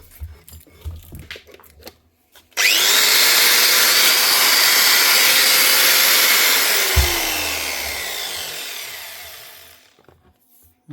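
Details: Bosch GWS 6-115 4.5-inch angle grinder that wouldn't switch on, after replacing the power lead and checking brushes: clean high whine spins up fast, holds steady at full speed, winds down smoothly with no rattle or grinding; running healthy.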